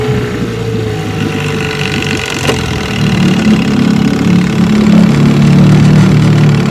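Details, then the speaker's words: 1970 Johnson 6 HP outboard with rebuilt magneto, coils, points, condensers, new plug wires, cleaned carburetor and replaced hub, warm start on water: steady buzzing in reverse, slightly louder after a few seconds, no misses or knocks; reverse works. "Reverse works."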